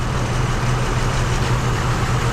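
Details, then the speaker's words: 2005 Isuzu SUV, idling after the coil pack was swapped from the misfiring cylinder: pulling the moved coil's plug wire makes the uneven, lumpy idle stumble rougher, showing the misfire follows the coil pack. "so this was the one that was misfiring beforehand and we moved the coil pack over there if I yank this here I get rougher"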